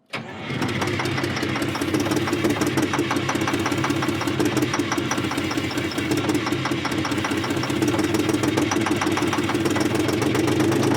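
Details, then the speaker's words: Terex 80-20 diesel after sitting 30 years, cold start: cranks and catches, then an uneven, stumbling idle with irregular firing beats that slowly smooths out; rough running, cause not confirmed. "Oh, wait. She might recover. What is that? It nothing. Life is nice and cold. She's idling now at least."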